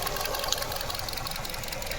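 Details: 2025 Nissan Versa HR16 engine at idle, one injector deliberately disconnected to test misfire via oxygen sensors and fuel trim: rough, stumbling, lopsided beat; induced single-cylinder misfire.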